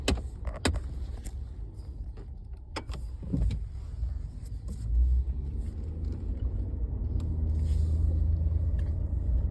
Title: 2014 F-150 ticking noise from dashboard